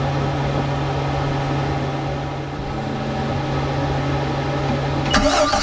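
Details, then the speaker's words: 2014 Volvo Penta 4.3 L V6 200A sterndrive boat engine after spark plug and fuel filter/water separator replacement, key on with blower running: steady low electric hum for five seconds as the fuel pump primes the new filter canister normally. "All right, I can hear the I can hear that fuel pump running. Seems like it's putting more fuel into that canister."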